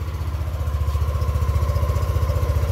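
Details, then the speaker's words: Yamaha Aerox 155 started cold after three weeks unused: even, steady putter of roughly fourteen beats a second with no misses or knocks; it starts readily and idles healthily. "ini penampakan ketika tiga minggu Enggak saya hidupin suaranya seperti ini teman-teman Alhamdulillah tokcer temen"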